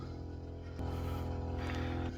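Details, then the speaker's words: BMW E39 Touring, old in-tank fuel pump before replacement: constant droning hum with thin unchanging whine, pump struggling; failing fuel pump, then replaced. "sure is struggling there we go sounds beautiful doesn't"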